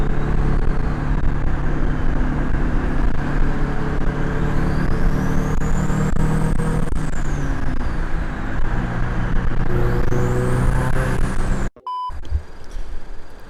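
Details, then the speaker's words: Turbo Scion FR-S with GTX3076 turbo, CX Racing header, Turbosmart 38mm wastegate, eBay intercooler, on the road after wastegate adjustment to about 12 psi boost (was 16): strong pulls with rising turbo whistle; normal turbo acceleration. "so now i'm hitting like 12 pounds sounds good"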